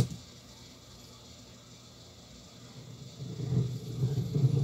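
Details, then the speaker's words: Novik EVO-250A/USB active speaker, no audio playing; quiet hiss then low uneven rumble builds after seconds, traced to equalization board, the only board on power section, noise stops when disconnected; contact cleaner suspected applied on its potentiometers. "Oi e aí está o problema né aparecendo novamente Tudo indica que está vindo daqui dessa placa"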